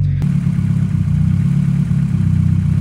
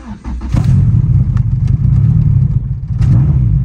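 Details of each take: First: First start on a Burton Racing kit in a car that sat a while: loud, low, lumpy idle with steady throbbing beat, slightly uneven, still settling; owner thinks excess fuel from repeated priming sits in the fuel rail and needs burning off. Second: Car fitted with a Burton Racing cop kit starts after priming the fuel pump, following a long sit and repeated priming: it catches almost instantly on first crank, the fastest start yet, and settles into a smooth, steady idle. Normal start and idle.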